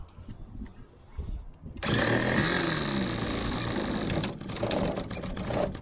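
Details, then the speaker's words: Limbo Dancer model aircraft engine on its first test run, throttle left alone: abrupt high buzzing that runs uneven and rattly, with wavering pitch; engine running badly and quickly switched off, possible conrod damage feared. "That doesn't sound good. I should have broken the conrod. Switch it off."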